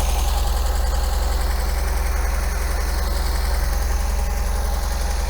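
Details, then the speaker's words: MGB engine after tappet adjustment and service, choke now off: steady, even idle with a quick firing beat, clearly too fast; idle speed set too high. "so now i don't have to choke on and it's idling far too fast so maybe we'll drop the idle speed down a little bit"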